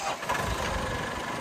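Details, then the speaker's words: 1998 Lull 844C-42 Highlander telehandler with 17,000 hours and a rebuilt John Deere 115 HP 4-cylinder diesel, rebuilt about 4,100 hours ago, starting: it catches and runs on in a steady even rumble, no knock or stumble; starts and runs good. "So starts up, runs good."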